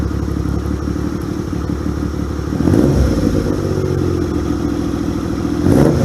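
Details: 1978 Yamaha XS750 Special, first run after a three-week revival, kick-started with fuel and choke on: the four-stroke burbles steadily with a quick, even beat and swells on throttle blips; it runs clean and healthy.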